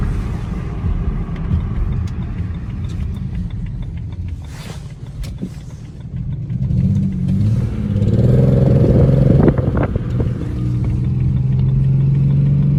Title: Misfire cylinder 5 with unknown ticking noise